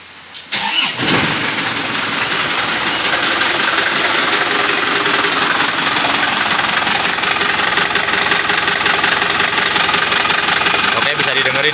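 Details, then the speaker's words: Isuzu Panther LM 2005 diesel test-started before teardown: catches and settles into a harsh, uneven clatter with a heavy rhythmic knock; timing gear wear and bad engine mounts were first suspected, but the finding is a broken crankshaft. "kita tes hidup dulu guys suara mesin kasar kita cek dulu ya sebelum kita bongkar"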